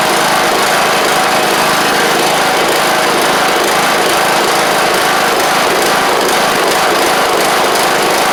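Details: John Deere LA100 riding mower (5-speed transaxle), sat a long time with water in the tank and hard starting blamed on valves, now running off choke: steady, busy high-pitched run, no misses or knocks throughout; runs normally, though the spark plug is suspected to have failed.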